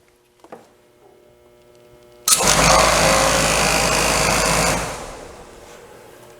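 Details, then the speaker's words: HVAC blower motor mocked up in a vise, debris dropped into the wheel: spins up to loud steady rush with rough vibrating hum resonating, then winds down; debris unbalancing the blower wheel. "Oh wow. We got a little bit of vibration, and we could even hear like a noise resonating from the blower."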